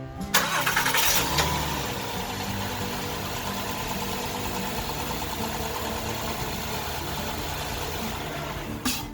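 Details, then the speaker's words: 2013 Honda Pilot 3.5L after timing belt replacement, started without coolant as a test: brief starter whir, engine catches cleanly and settles into steady, even idle with no knocks or ticks; no check engine light, timing belt correct. "so the you just start so your runs there's no check engine light so that's good"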